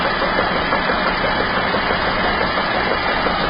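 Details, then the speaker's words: Nissan Rogue on a hoist in drive at idle, with the driver's wheel held and the mic underneath from the driver side near the oil pan. The engine and oil pan shake with a steady banging knock about three beats a second; owner suspects a known front-right vibration defect. "Now let's take a look at the engine oil pan. You can see it's shaking. You can hear it banging away like"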